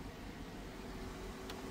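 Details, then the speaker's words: Police car with no AC blower and no cold air: steady even fan rush with faint constant hum, no rattles; blower working and blowing cold, normal. "I bet my blower working now. Let's go see. Yep. Look at that. You know what that mean? It's cold. It's blowing now."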